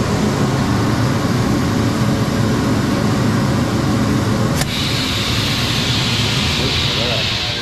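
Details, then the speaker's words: Sawmill whole-shop dust collection blower running through a phase converter, airlock on and blast gate closed: a steady roaring air rush, then a higher hiss as air whistles through screw holes under strong suction. Shows a good system working. "With the blast gate closed, it's whistling. Supposed to look like when you got a good system working."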